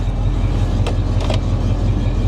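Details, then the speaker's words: Square-body Chevy truck, GM Goodwrench 350 small-block with Edelbrock carburetor, cold, after idle was kicked down; low, even loping V8 idle, no ticks or knocks, oil pressure 65 PSI. "There we go, that's better. That's better. Oil pressure is really, really good though."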